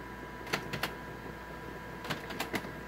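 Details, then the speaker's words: Canon MF733Cdw laser printer waiting to print a page gives sharp, irregular clicking over a faint hum; it then prints badly, missing lines. "You can kind of hear a clicking noise coming out of it. So if I print a page, it's waiting."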